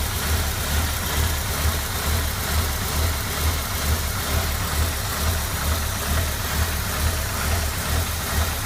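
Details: 1996 MGF 1.8 MPI with a lumpy, uneven idle pulsing about twice a second and driving badly; new intake gasket, IACV, rotor, cap and HT leads did not help; cause was a disconnected ECU vacuum pipe, and reconnecting it cured the idle.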